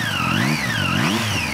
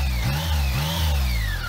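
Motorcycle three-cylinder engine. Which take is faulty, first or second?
first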